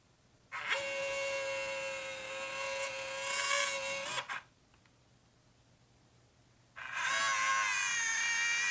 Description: My Nikon P900 developed this horrible grinding noise today :(